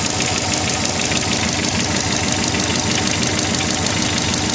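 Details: Subaru Legacy GT turbo petrol engine at idle: dull knock pulsing through turbo hiss about once a second; owner thinks it comes from the turbo but wants to rule out piston slap or big end bearing.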